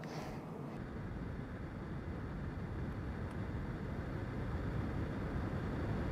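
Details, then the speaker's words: Car AC blower after replacing the recirculation door actuator (bottom of air box, passenger side) and running basic setting: steady rushing blower air whose tone shifts once as the door switches, then stays even; repair verified, normal operation. "going back to the control head operating the research door actuator and see if we hear that change in tone now yup you can definitely hear it here"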